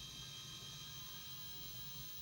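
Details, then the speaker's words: Dead Toshiba T4500C laptop with a P30 error, first power-up with hard drive hooked up: steady high whine with a few even tones and no clicks or scraping. Drive spins up normally while the screen shows only gray pixels. "Okay, I've hooked up the hard drive. I can hear the hard drive is doing something."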